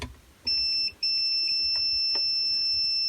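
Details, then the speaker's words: 1951 Zenith Cobramatic turntable power on/off rocker switch under continuity test: a steady high beep cuts out and returns, showing poor intermittent switch contacts despite Deoxit spray; the switch is to be pulled and taken apart. "the problem is that this is a little flaky you hear that that interruption in the tone is just a continuity test"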